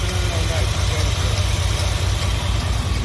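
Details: 1988 Chevy K2500 V8, sat a long time, after fuel system overhaul and conversion from fuel injection to carburetor: deep steady idle with even low rumble, no surging or dying; idling normally, no leaks seen.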